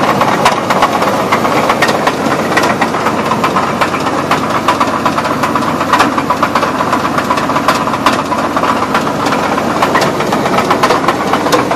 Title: 2000 Chevy Blazer engine knock